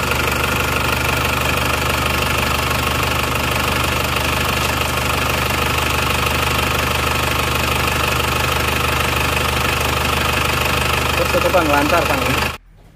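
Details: Diesel engine (Plat K) after repair of a defective cylinder head that let compression cross into the coolant, overheating it and losing radiator water; running without a thermostat: even clatter at steady idle, no misses or knocks, then a clean shutdown; healthy.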